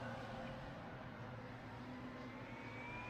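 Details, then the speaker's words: Asus PG27UQ monitor FPGA cooling fan 1, ramped up to high speed for testing: soft, smooth hiss with a thin tone climbing steadily, no rattle or grinding; the fan works. "So this is fan 1, definitely working. And I think this is what you hear if you if you connect the fans to the monitor board, internal board."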